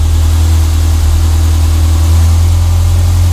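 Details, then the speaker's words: Renault 5 GT Turbo after repairing rodent-chewed fuel and boost lines that made it run very rich: low even idle, steady beat, no hunting, stumbling or misses; fuel ratio good, back to normal. "so yeah oh back to normal again so yeah it's really sweet now happy days mate"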